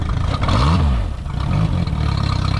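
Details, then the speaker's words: Mercury four-stroke outboard run out of water, revved up and down: it sags briefly, picks up unevenly, and stalls when punched. High idle and stumble come from a warped throttle body stuck open. "You see it stumble. Punch it a little quicker and it shuts off again."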